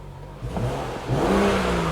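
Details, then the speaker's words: 2015 BMW 640i after replacing the defective battery, started without the charger: short crank, then a steady, even run with no misses or knocks; check engine light on, probably from battery disconnection. Normal start and idle. "Okay, so as you can hear, the engine is running."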